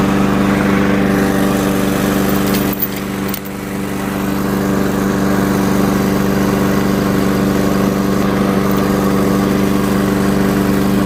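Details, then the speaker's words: Curbside-found Weed Eater walk-behind mower, which had broken its flywheel key on a blade impact, running with a smooth, even steady hum, only a brief dip under load and quick recovery; normal running, owner plans a carb tidy, rinse and oil change. "we'll take it. Runs good. I think we'll give the carb a quick tidy and give her a good rinse and change oil, and away we go."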